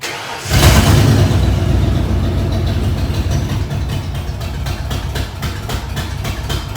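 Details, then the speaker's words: 1994 Ford F-150 with a swapped-in Ford 302 V8, first cold start after installation: flares up, then settles into an uneven idle with a sharp tick about four per second, thought to be a loose exhaust manifold; a damaged emissions part may also be upsetting the idle. "sounds like i got to tighten up one of my exhaust manifolds over there"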